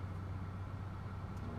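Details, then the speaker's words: BMW E46 with rough idle, hard starting and stalling, with the mass airflow sensor unplugged: smooth even idle with no stumbles, pointing to a faulty MAF sensor. "remains idle and everything looks fine okay so the issue is a with the math because when i just unplug the math it's working fine the raw file is gone"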